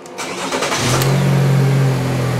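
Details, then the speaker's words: GM 1.4-liter GDI Chevy Cruze engine training bench after the case-study fault was removed: brief crank, catches quickly and settles into a smooth, steady idle; a normal start, everything back to normal. "everything's back to normal so the student can now proceed to the following cases"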